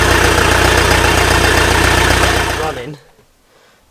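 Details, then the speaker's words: Land Rover diesel just started after a new cylinder head was fitted, with the fan and intercooler still off; rough, lumpy idle suggesting a misfire before it cuts out. The owner later suspects cylinder bore damage needing a full rebuild. "does sound a bit rough sounds like there's a misfire not too pleased about that"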